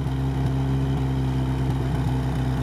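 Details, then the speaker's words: LuAZ slightly warmed, running only with snorkel closed, steadier but still missing; mostly steady idle skipping a beat now and then, slight fuel smell, owner suspects one spark plug not firing, cause unconfirmed. "хотя есть пропуски все равно. Ну, запах газа есть немножко. Ну, есть немножко запах газа. А свеча какая-то не работает."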